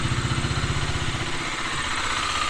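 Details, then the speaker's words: Bajaj Dominar 250 at about 3,759 km, engine slightly cold at idle: quick light metallic chatter over the exhaust pulse, louder when ridden warm. Owner suspects timing chain tensioner, replacement ordered. "तो यार देख सकते हो किसी चीज का आवाज ए रहा है इस करो ड्रिप छोड़ दो यार किसी चीज का साउंड ए रहा है जो यार अभी तो हमको ग रहा है टेंशनर का है"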